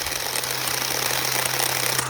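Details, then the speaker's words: CSwid mini chainsaw, failed at day 32: buzzy labouring drone with low hum that never builds speed; after a few moments of cutting it smokes and burns, dark rings around the motor; motor bogging from overheating. "this little saw, after a few moments of cutting, will start smoking and burning like crazy. You can actually hear it."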